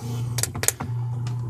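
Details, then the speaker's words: Relay switching heard through speakers connected directly to an MP3 player: steady low mains hum with sharp clicks; moving the player away doesn't help, unplugging the motor's AC power removes it; interference. "once I get rid of the AC power unplugging the motor the sound goes away so it's some kind of interference"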